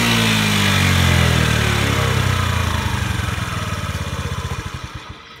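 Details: Honda Today moped that would not rev out, treated with engine conditioner for carbon buildup; the little two-stroke revs freely up high, then winds down with even, steady firing pulses slowing to a stop; runs clean and healthy.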